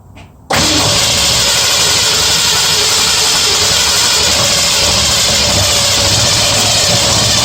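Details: 1965 Mustang V8 test-running a Holley carburettor (plenty of pumping to start): catches and runs rough and uneven at fast idle, firing on only about four cylinders; owner suspects the carb isn't feeding fuel to all cylinders, possibly not both sides.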